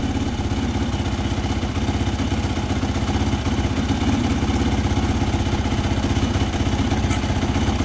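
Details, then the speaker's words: Yamaha YFZ450F quad after new cylinder fitted to cure exhaust smoking: steady, even single-cylinder thump around four beats a second with light top-end clatter, no smoke from exhaust. Normal idle after repair. "all right sounds good uh there is no smoking coming out of the exhaust again so I think we're we're all set"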